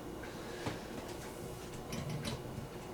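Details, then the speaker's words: 1960s Revere UrbanLite mini streetlight, hot after running; sparse irregular metallic ticks in a quiet room as the hot housing expands and contracts, heard just before switch-off. "Yeah, you can hear you can hear it, you know, you can hear it clicking because it's just so warm."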